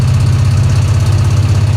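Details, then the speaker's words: 1966 Chevy Impala on first highway drive in over 20 years, very low oil pressure: heavy V8 with fast rattling, tinging and ticking over low throb, worsening; valves suspected needing adjustment, possibly exhaust leak, unconfirmed. "We better get somebody out here to adjust these valves if it's not too late."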